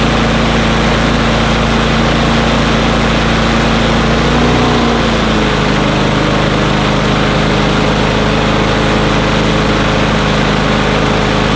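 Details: Small single-cylinder engine whose RPM ran high because of a sticking throttle lever, after lubricating the lever so it returns: settles into a steady, even run about five seconds in, with no misses or surging; runs properly.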